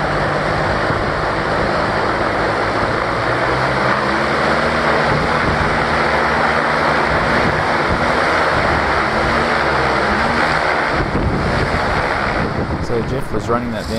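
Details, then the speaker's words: Aircraft engine driving a propeller, freshly tuned and run above 1,200 rpm out of idle, toward about 2,000 rpm: steady, even roar with prop-tip whoosh, no vibration and little engine noise; normal, smooth engine run-up. "anything over about 1200 rpm and it goes out of idle it's just super smooth there's no vibration and there's no hardly any engine noise at all it's mainly just pop noise sort of from the crop tips"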